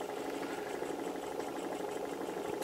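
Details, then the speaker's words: Small spirit-fired Stirling engine, hot end well heated, oiled with light machine oil: soft even whir, no tinking or knocking, so the displacer isn't hitting the cylinder end; normal running. "um you'll notice this engine's running quietly there's no tinking or knocking noises that's a good sign because it means that the displacer isn't hitting the end of the cylinder and everything's comfortable and happy"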